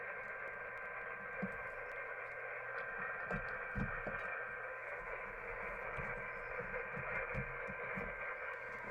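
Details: uBitx transceiver with Nextion touch screen running CEC firmware, on 40 meters: constant hiss with faint muffled broadcast audio bleeding through; receiver is picking up the AM broadcast band.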